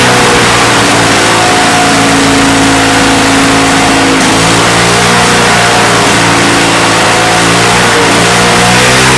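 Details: Salvaged, neglected Victa Mustang 20 two-stroke lawnmower after refuelling, primed and pull-started: a strong, even two-stroke buzz that revs up and settles with no misses, running, though some smoke and possible remaining issues.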